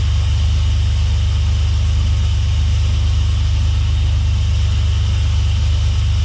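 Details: Swapped Dodge 3.7 V6 in a truck, idling after new crank and cam reluctor rings fixed a no-start; smoke from spilled oil on the exhaust. Steady, even low drone with no knocks, ticks or misses: healthy.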